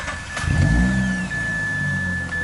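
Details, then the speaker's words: 2004 Mazda RX8 with CSF aluminum radiator, silicone hoses and modified lower-temperature thermostat; fans wired to oil pressure. Engine shuts off and the fans whir on evenly for 5-10 seconds until pressure drops, which is normal. Temps now 180-189. "Not on startup, but when you turn the engine off, they'll stay on for about 5-10 seconds and shut down once the pressure drops."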